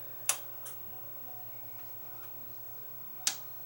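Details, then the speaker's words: Onkyo two-channel stereo receiver with no sound from any input, at power-on: two crisp single clicks about three seconds apart over faint hum, speaker relays engaging, so not in protection mode. "That was the relay clicking in for the speakers. So, it's not in protection mode."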